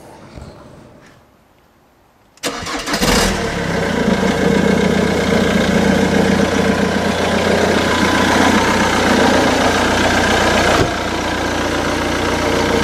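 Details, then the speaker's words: Jaguar X-Type diesel, Jaguar's first diesel engine, cold start: short crank, then loud rattly cold-diesel clatter settling into an even idle; normal noise for a cold diesel. "Då är det så att, ja, ni hör själv, här är lite svårt att överrösta den här just nu när den är kall. Det här är ju, som ni hör, ingen V6 bensinare, utan det här är ju Jaguars första försök med dieselmotorer."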